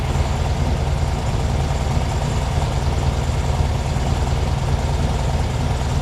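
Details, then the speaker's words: 1972 VW Super Beetle flat-four, revived after sitting 10+ years, warming up: idle with a faint loping, lumpy gallop under the steady drone; idle still not quite even. "engine as you can hear she's waking up still a little bit of a Gallop"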